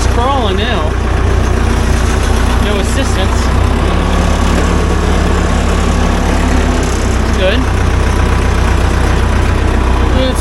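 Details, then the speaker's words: 1975 Case 580B loader backhoe after transmission fluid top-up (was quite a bit low): steady diesel rumble crawling in reverse, quiet, no whine or gear noise; transmission healthy. "see what this thing sounds like now left the key on that sounds awfully uh quiet all right put her in Reverse here we go she's"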